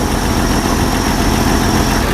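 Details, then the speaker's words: Jeep CJ 258 4.2L with a MaXpeedingRods Carter-style carburetor and bypass fuel filter, after sitting a month: once started it idles smoothly and evenly with the choke staying on, though hard starting persists; owner suspects fuel siphoning back to the tank. "once it started it actually idles really good the choke stayed on it's good"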